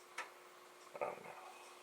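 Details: Commodore SFD-1001 IEEE single disk drive (double-sided) on a Commodore 8296: two crisp ticks from the head stepping between tracks in a quiet room; normal head stepping.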